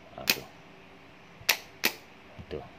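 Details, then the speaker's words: Starter motor on the bench, key wire touched to trigger it, for a no-start engine: sharp isolated clicks with no motor spin. Solenoid throws the pinion but the motor doesn't turn; fixable with a 10-sen coin. "Dia tendang tapi tidak pusing tuh. Sepatutnya dia tendang tapi dia punya kelajuan begini."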